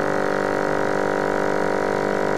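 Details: Trico FM-6 ferrogram maker waste pump switched on: a steady, even low motor hum at constant tone for about two and a half seconds, then a clean cutoff. The pump sounds healthy.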